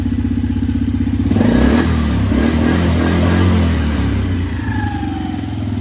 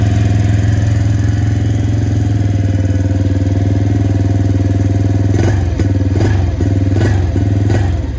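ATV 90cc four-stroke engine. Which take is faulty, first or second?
second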